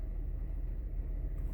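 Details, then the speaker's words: 2006 Honda Accord 3.0 V6, previously misfiring on cylinders 5 and 6 with flashing check engine light and shaking: now a steady, smooth cold idle with no shaking or stumbles after the fix. "right now there is no shakes at all you can see the transmission this is not shaking there's no shake at all nothing"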